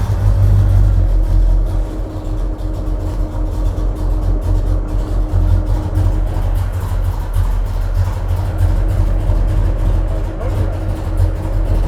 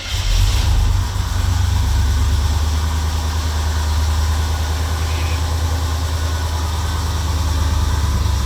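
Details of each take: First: '73–'77 GM A-body V8 with an HEI distributor that was found very loose and is hitting the firewall. Deep, lumpy idle with a dull, lazy note: timing is behind top dead center, still being adjusted. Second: '73–'77 GM A-body V8 just revived after sitting, cold winter day, fuel brown and dirty, timing unset. Deep, even rumble settles to a steady idle with no knocks or misses, with lots of smoke from burning off the header.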